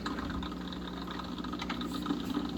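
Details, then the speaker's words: Aquatop CF-500UV aquarium canister filter after cleaning, back on the tank: steady low hum with a faint even buzz, no rattle or gurgle; pump primed and running normally. "You've got clean filter media now. It's back on the tank and up and running."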